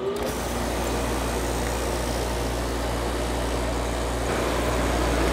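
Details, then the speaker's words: GoldStar window air conditioner firing up for its first real use in 7 years: even low compressor hum under a steady fan rush, no knocks or rattles; normal running. "been running for a few minutes now and that thing is pumping out some cold oh my god does that feel good"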